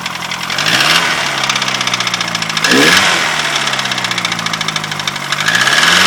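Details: Ford Fiesta RS Turbo, dead engine: fast rattling knock about four per second through idle and throttle blips, cause unknown.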